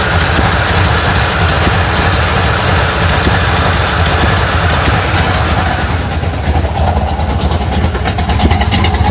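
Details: 1980 Sierra C15, junkyard L31 Vortec 350 (130k-mile pistons/rods, 9.5:1), Summit K1107 .488/.510 lift cam, Performer RPM intake, 600 Holley, Flowtech headers, Thrush turbo mufflers; cold start: choppy, uneven loping idle with occasional throttle blips from big cam; mic clipping.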